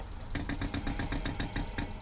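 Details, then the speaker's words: Ford F350 HVAC vacuum supply using a compressed-air venturi with muffler, engine running and heat on: rapid even hissing pulses about seven a second over low rumble; owner suspects pulsation comes from where the sensor is placed. "that's basically just using the pressurized air from our air system blowing it through the venturi and sucking it out of the cooling system so that the vacuum diaphragms can open and close you can kind of hear it pulsates and I think that's just due to where I put the sensor"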